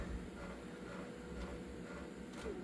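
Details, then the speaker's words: Panasonic PV-V4521 VHS Hi-Fi stereo VCR rewinding while playing (rewind search): low, even mechanical whir with faint motor hum, no catching or squealing; transport sounds healthy. "We're going to get it. Rewind while it's playing."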